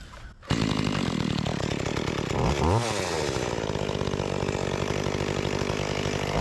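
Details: Makita EA3200S chainsaw, repaired after not starting following a year in storage, test cutting an old utility pole: pulls strong and steady, revs dip and recover evenly under load; runs clean and healthy.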